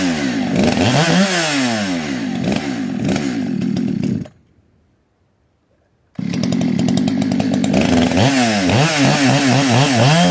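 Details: Modded 60cc Echo 620 chainsaw, widened-venturi 620 carb, high jet only a turn and a quarter out, idle turned up: sharp revs rise and fall, cut out, restart; burbles unevenly at top speed, slightly four-stroking from rich high-speed mixture.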